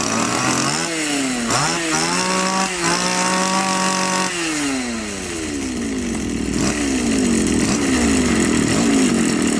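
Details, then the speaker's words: Champion two-stroke string trimmer revving normally under throttle, then sagging and stalling when left at idle; carburetor has only the top idle-speed screw (no fuel screw), idle speed set too low, fix is turning up the idle screw. "как мы видим действительно на холостых глохнет Хотя двигатель работает нормально на когда даёшь газ на мощности работает нормально"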